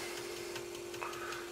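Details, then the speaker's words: Magnum 2000 W pure sine wave inverter on a battery solar backup system: steady low hum with faint light clicks about four or five a second as the inverter searches for a load, normal. "looking good you can hear that little clicking noise that's inverter and the and the sine wave inverter doing its thing and it's searching and all that good stuff"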